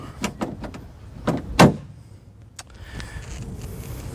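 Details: Lexus SC430 door after the broken door latch cable was replaced and the handle reinstalled: light clicks from the handle, then one firm, crisp clunk as the latch releases, with no grinding. Normal door latch operation.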